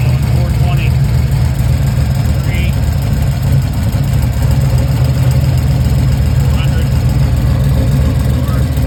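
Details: Chevy Nova, cold winter morning start: loud, low idle with an uneven loping beat and a recurring stumble, one cylinder dead; injectors cleaned, computer sent out, new Holley harness, plugs, wires and coil replaced, head and valves checked; cause unknown.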